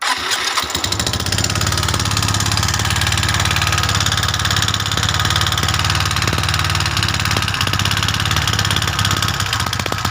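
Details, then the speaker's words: Suzuki Skydrive 125cc scooter, coil wired for a test run: catches to a fast idle with harsh, clattery ticking. Oil is not rising to the cam and rockers, so the rockers loosen. Valvetrain ticking from oil starvation. "hidupkan nah seperti itu ya Suaranya sangat kasar ini ngebul dari yang keteng atau dari ruangan keteng itu naik oli"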